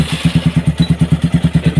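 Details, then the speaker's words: Single-cylinder motorcycle on its third repair after a seized piston, with oil not rising to the cylinder head: heavy, even thumping about eight times a second with a dry mechanical clatter, as the camshaft and rocker arms run without lubrication. "Karena bagian-bagian dan mekanisme untuk memutar poros bubungan dan pengoperasian lengan ayun atau katup tidak berfungsi dengan baik karena tidak ada pelumasan."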